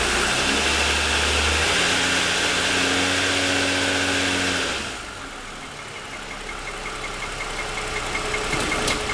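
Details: 2007 Lexus ES350 parked, hood raised, cold start: light regular tapping about three per second at idle, lasting about 10 minutes after cold start and worsening over 2.5 years; owner suspects piston slap.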